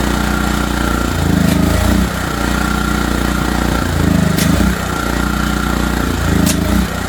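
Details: ETQ 3000-watt portable generator after repair, choke on, running until out of fuel: steady, even engine drone with a slight rise and fall every couple of seconds, no knocks or misses; running smoothly.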